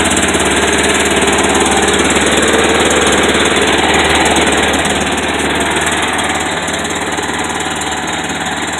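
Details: Kawasaki Mule that wouldn't start, after rusty tank flushed out, carb reinstalled and idled up a little: small single runs steady with even fast putter, nearly four beats a second, no stumbling; running cleanly now.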